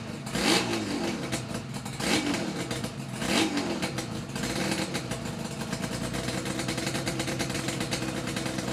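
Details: Yamaha RD350YPVS F2 two-stroke twin after full rebuild (all bearings, seals, rebore); plugs were loose on first run. Three crisp throttle blips rising and falling cleanly, then smooth steady idle, no rattle. Normal revving, quiet and healthy.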